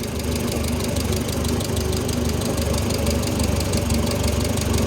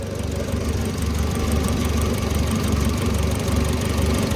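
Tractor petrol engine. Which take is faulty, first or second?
first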